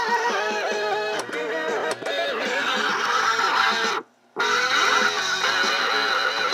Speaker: notice how shitty it sounds sounds like the [ __ ] tape is going to break